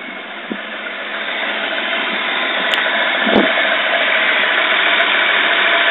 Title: 2jz gte rough idle, overfueling